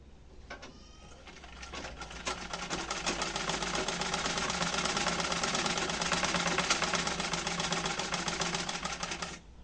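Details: Restored rusty antique Singer treadle sewing machine after repair: speeds up to an even quick clatter about three stitches a second, smooth without binding; sews fine.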